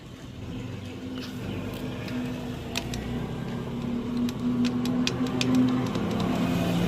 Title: Pulsar AS150 Engine Noise Problem#bike #engine #repairing #pulsaras150 #bikeservicing bikeser